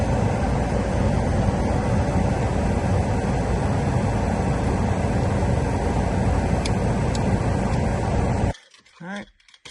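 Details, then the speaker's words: 1993-2002 Camaro/Firebird (WS6) HVAC blower motor under dash, after replacement with genuine GM unit (52495079) to cure high-pitch squeal; smooth steady rush of air with no squeal or chirp before switching off — normal blower motor. "Sorry, the video cut off there, but everything works works good. Just the normal kind of noise out of these things. But no more crazy squeal and good to go."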